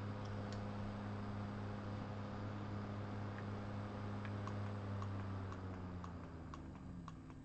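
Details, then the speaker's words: G5 CPU fan converted to a Zalman motor, running at 2,000 rpm for comparison with the original: a low, steady hum with faint soft ticking, much quieter than the original mechanism. Normal running. "I think you'll agree the converted fan is much quieter than trying to run the original mechanism."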